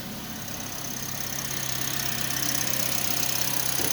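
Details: Toyota Vios that sat unstarted for 3 months and had lost compression, restarted after oil was added through the spark plug holes: steady, even idle with a low hum and no misses; exhaust smoke from the oil should clear once warm.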